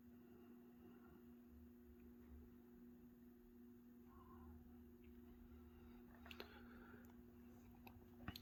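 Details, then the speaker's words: 1996 Hunter Innova 44-inch ceiling fan with replacement Summer Breeze motor, on low speed; faint steady low hum, no rubbing or ticking, owner believes these fans are plagued with hum by design; motor hum. "low's a bit fast you can hear the hum these things apparently i think we're always plagued with the hum just the way they're designed"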